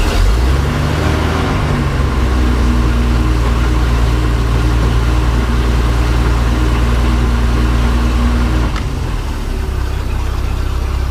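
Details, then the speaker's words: MerCruiser 4.3 in a Manta Ray boat after fuel line, fuel filter and broken oil pressure safety switch tee fix; steady even low rumble at idle, no knocks or misses, normal idle. "Sounds like it's running good. Alright, well, with that sounding so good, I'm gonna call this video a win."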